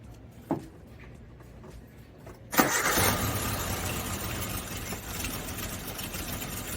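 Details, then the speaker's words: Suzuki Samurai being restored, with an idle stumble: it starts, then idles with an uneven lumpy beat, as if running on three cylinders. Cylinder 4 has spark but a clean plug; owner suspects no fuel there or a valve stuck after valve adjustment. Misfire. "yep still running what sounds like on three cylinders"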